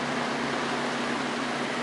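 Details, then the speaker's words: Junkyard Torcan box fan on high speed, blades not cleaned; soft steady rush of air with faint low hum, no rattle or ticking, very quiet but weak airflow — normal running. "You know what? This thing doesn't make very much noise, but it also doesn't move very much air"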